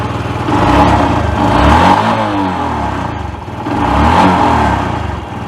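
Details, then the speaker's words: Yamaha YBR 125 after swapping in a replacement engine for one that rattled badly with no power: revs up and down twice smoothly, crisp and even with no knocks or rattles; normal revving. "Sounds spot on, I think. Definitely better than the last one."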